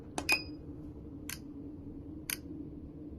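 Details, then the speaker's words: A single faulty fuel injector running on an ultrasonic cleaner/tester bench, no cleaning agent: crisp, sharp clicks about once a second over a faint hum, vibration felt. Injector working now but intermittent, sometimes failing, which causes misfires. "As you can see, it's clicking and you can feel it vibrating. This means the injector is working, but this one was giving me problems."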